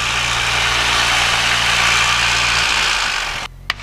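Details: Aircraft engine run-up at 1700 rpm before departure from St. Petersburg, mixture leaned: steady drone drops off abruptly and engine dies when the right magneto is selected during the mag check; magneto failure.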